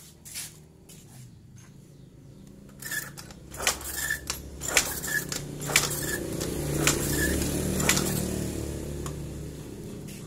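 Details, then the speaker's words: Yamaha carbureted scooter/moped (Mio/Fino/Jupiter Z/Vega ZR type) with lost ignition. Repeated kick strokes about once a second, a mechanical clack each time, no firing. The kiprok output was checked and the fault was traced to the regulator rectifier (kiprok). "tidak hidup berarti permasalahan adalah di kiprok ya"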